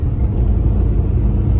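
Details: Maruti Alto 800 small petrol engine after its first service, where the owner had reported a noise; steady low rumble with an even beat and no knocks or ticks, described as sounding normal again at idle.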